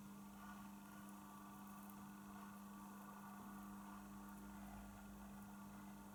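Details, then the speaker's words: Realistic LAB 280 belt-drive automatic turntable, second hand: significant noise from the motor on start-up, a faint steady low hum heard through the pickup; owner suspects electromagnetic induction into the wiring; motor vibration through poor motor isolation. "what I don't like on this turntable is that when you start it there is a significant noise that is coming from from the motor"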